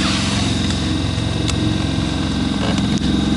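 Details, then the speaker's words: Suzuki Grand Vitara heater blower with a newly fitted larger replacement motor, test run on first speed before reassembly: a fast uneven rattle over the fan's hum, like something loose or unbalanced; cause unconfirmed. "Ну вот это на первой скорости работает, это что, нормально? Я, конечно, сейчас соберу все это, кожух одену, там шумоизоляция, но с таким звуком он не должен работать. Не знаю, может я, конечно, гоню уже. По-моему, жесть так тарахтит."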